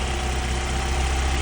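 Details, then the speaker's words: Mk1 Cavalier, faulty crank sensor rubbing and shorting on rocker box, taped and run outside head: steady even idle, no hunting, engine light off; normal idle, internal sensor break means replacement needed. "and I've just run it on the outside of the head at the moment, and it's running absolutely fine."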